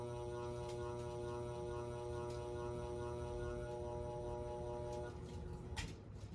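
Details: Casablanca Four Seasons III ceiling fan on a solid-state speed control: steady electrical buzz with a fixed pitch over the motor hum the whole time.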